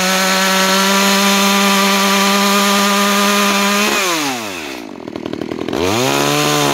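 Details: New Makita EA3200S chainsaw during break-in, cutting wood: high steady two-stroke scream holds evenly through the cut, then drops off and revs cleanly back up; healthy.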